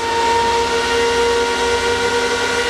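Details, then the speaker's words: Crypto miners used as shed heaters, right one at about 1.17 kW, about 3 kW total, 12 A from mains, shed warming: loud steady fan roar with tones near 500 Hz and 1 kHz, speeds creeping up with heat; normal fan operation under high load. "so they're all running at a manageable volume level but it does get loud when these things really start to squeal and can we hear the fan speeds creeping up as it gets ever slightly warmer in here"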